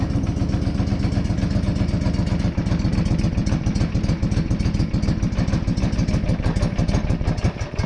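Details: John Deere 425 riding mower idling after muffler inspection found fatigued, broken spot welds leaving a hole: loud, raspy, fast chuff over a deep steady idle as exhaust puffs out of the muffler hole; exhaust leak, before muffler repair.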